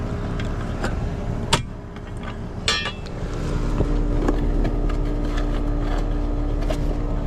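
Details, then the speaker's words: Home air conditioner condenser after repair with new breaker: a few clicks then steady even hum; running normally, pressures checked out fine. "pressures and everything checked out fine on that one. That was actually a very easy job."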